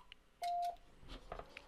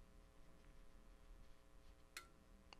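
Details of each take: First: Icom IC-7300 internal antenna tuner, asked to tune an antenna beyond its 3:1 SWR range, keys briefly with one short mid-pitched beep and faint clicks but no relay chatter; the tune fails without trying. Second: as I tune across the band on 40 meters you'll hear some relays clicking which is the tuner changing settings as I get to different areas where it remembered different settings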